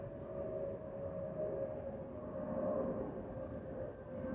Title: 💛🖤💛Spirit Airlines Airbus A319-132 N508NK NK1243 FLL-DTW (FOPP whistling sound)💛🖤💛